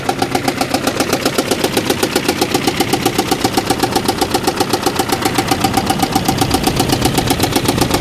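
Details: Car for a single mom in need, brake lights stuck on, probably from the brake light switch. Rough idle with a hard, regular knock about four times a second, holding steady; owner unsure it's a true knock. Coolant smell later makes him suspect a blown head gasket, unconfirmed.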